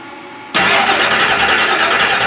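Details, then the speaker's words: Freshly finished turbo Oldsmobile DX small-block V8 on E85 with -9 heat-range plugs, first fire-up in the car: loud, rowdy run with busy metallic rattle over exhaust; owner attributes it to loose piston clearances, 90 psi oil pressure. "Yeah, this thing sounds like a nitrous rig, dude. It's rowdy. I mean, still sounds, but like I was telling you, man, every piston in this thing's got 10,000 splits."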